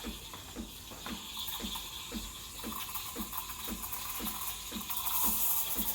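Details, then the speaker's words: Breville Barista Express BES870 steam wand texturing milk: bright, even hiss with soft ticking as the wand injects air into the milk. Normal milk steaming sound. "Can you hear the hissing sound? That hissing sound is what creates that thick, bubbly texture."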